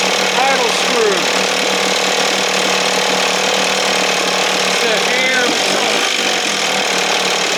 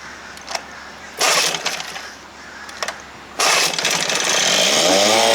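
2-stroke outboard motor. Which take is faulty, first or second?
second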